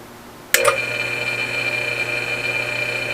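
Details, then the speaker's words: 1 hp 110V AC motor (air compressor) tested after cleaning centrifugal switch contacts: sharp click at switch-on, then steady even hum with thin high whine; starts cleanly, centrifugal switch working. "alright so now we know that the centrifugal switch is working perfect we heard it"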